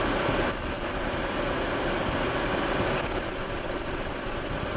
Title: Jaguar Clutch making noise